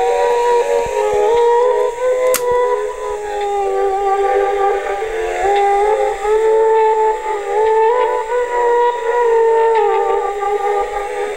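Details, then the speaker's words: 1960s Aiwa TP-40R portable 3½-inch rim-drive DC-bias transistor reel-to-reel recorder, leaky electrolytics replaced and bias resistor adjusted: music playback whose pitch wavers and drifts unevenly over several seconds. Wow, i.e. speed fluctuation, from the rim-drive transport. "anyway you can hear this speed irregularities and you know come in every now and then you know and all the little Wayne's a rim drive low quality for transistor DC bias rim drive recorder"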